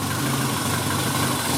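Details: Renault Twingo after a no-start apparently traced to a tripped inertia fuel-pump cut-off switch; steady even idle hum, no misses, knocks or surges, running cleanly; normal idle.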